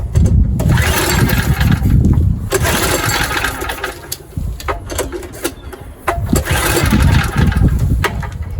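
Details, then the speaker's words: ETQ3000 3000 W portable generator, choke on, recoil pulls: engine coughs and spins briefly but never catches; owner suspects it isn't drawing fuel. Cranks but won't start. "Yeah, choke is on. Just not sucking up the fuel. Hm. Why 40 not want to start? Yeah, choke is on. H doesn't want to start."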